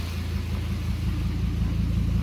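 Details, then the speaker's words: 2002 Volvo V70 2.4T idling, heard at the rear, after throttle body (ETM) and sensor cleaning for limp mode with codes P0068/P0221: smooth, even low rumble from the IPD sport exhaust. No puffing, ticking or rattles; healthy. "Hear the injectors firing up front. Back here, we just hear the IPD sport exhaust."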